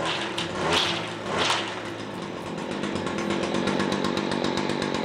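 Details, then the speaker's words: Stihl FS70R string trimmer, a pawn-shop unit being restored: crisp two-stroke buzz rises cleanly on two throttle blips, then holds an even fast idle; the clutch keeps the head still until throttled; engine runs healthy, normal running. "The thing's running like a 125cc motorcycle. But if you'll notice, it's clutch too, so the head's not spinning."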